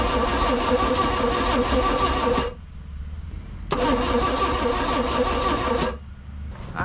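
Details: 1991 Four Winns OMC 4.3L boat engine, auction buy with unknown history, rusty coil suspected; two short starter bursts stop dead without the engine catching, so it cranks but won't fire. Spark is later seen and compression is questioned.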